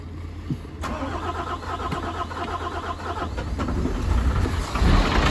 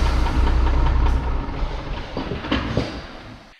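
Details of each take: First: MAN TGM 18.340, D0836 LFL65 diesel, 745,889 km, rebuilt after smoking, misfiring and no compression in cylinder 6: cranks, catches and settles into a steady, even idle with no knocks or misses; oil pressure 6 bar. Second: MAN TGM 18.340 truck, D0836 LFL65 diesel, 745,889 on the clock: heavy uneven, lumpy running with a stumble each cycle and smoking; diagnosed no compression in cylinder six causing misfire.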